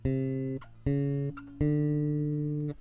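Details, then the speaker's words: MTD 535-24 bass with Bartolini electronics, plugged in and fretted low on the neck to check truss-rod setup: three notes ring clean and steady with no fret buzz. Buzz appears higher up, indicating too much neck bow. "That's nice and clean. I'm listening for fret buzz, and more specifically if there's any difference in the amount of fret buzz between this area and this area. So this was very clean."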